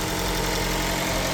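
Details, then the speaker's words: 2015 Chrysler 200 started after sitting over a year: a rough, uneven, lumpy idle that is gradually smoothing out. Old gas is suspected, not confirmed; it normally started right away. "That don't sound good. It's never done that. It's always cranked up right away."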